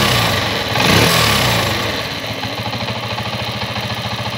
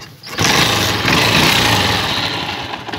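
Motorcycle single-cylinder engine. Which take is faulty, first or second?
second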